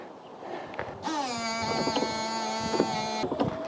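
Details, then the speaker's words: Car windscreen washer pump running: thin steady electric whine about two seconds, pump works but nothing comes out; pipe was snagged and pinched when the engine mount was removed for the timing belt job. "pipe must be blocked nothing's coming out there at all"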